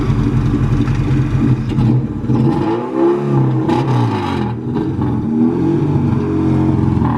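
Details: Car with a newly fitted distributor, running on fresh E85. It pulls under throttle but the note sags and stumbles in uneven drops as it cuts out; a dirty fuel filter is suspected, cause unconfirmed.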